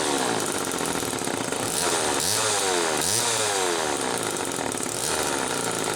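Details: 1974 Homelite XL-2 chainsaw with early HDC carb, test run after air leak repair: raspy two-stroke revs up and drops back cleanly several times without bogging or surging; idle not quite right. Normal running.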